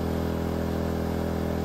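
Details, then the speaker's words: EcoFlow smart generator fitted with a propane tri-fuel kit, loaded by a hair dryer at about 1,650 W while the fuel setting is adjusted: speed rises and dips, then settles to a steady hum without surging. Normal running under load. "so okay so now we'll do the same thing you can hear the generator go up and down and there it drops a little now you can here it kind of come up and there we go now it's sounding"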